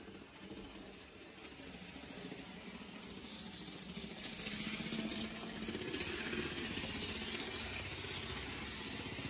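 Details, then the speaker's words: N gauge Farish/Dapol HST locomotive running on track after reseating the motor connection pin; light mechanical whir and rattle building as it moves, a bit bumpy but the earlier squeaking is gone; normal running. "it sounds a bit bumpy but these squeaking noise is gone"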